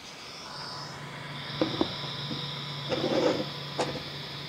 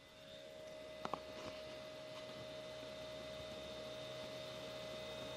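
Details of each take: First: Creality CR6 SE 3D printer after fitting quiet Noctua fans replacing stock power supply and motherboard fans, mic on the print bed: steady low hum with soft high whir and light taps; noise dropped from about 53 to 49 dB. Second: Creality CR6 SE 3D printer's stock motherboard fan before the Noctua upgrade; steady whirring with a constant mid-pitched whine and faint hum while the stepper motors stay quiet; noisy cooling fan.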